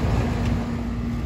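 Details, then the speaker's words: Payne central AC outdoor condenser after replacing a defective dual capacitor that looked fine: power on, steady low compressor hum with fan rush, no rattles; running normally, drawing about 19.3–19.4 amps. "let's turn on power and voila i love that hum with that compressor and of course the fan coming on"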